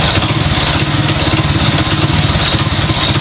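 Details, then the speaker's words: Honda Revo fuel-injected motorcycle with a new injector and good fuel pressure: idles fine, but when throttled the single runs with choppy, uneven pulses that stumble instead of pulling; misfire blamed on a misadjusted throttle position sensor. "Nah motor ini udah hidup langsam enak cuman digas gini bbetbrebet"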